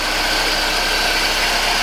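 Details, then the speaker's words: Newly bought cheap project car, near-cold start heard at the exhaust and from the front: smooth, even idle with a steady hiss, no ticking or knocking; normal idle. "no clicking noises no clicking noises nothing anything strange just to run very intensive even the a/c work yeah"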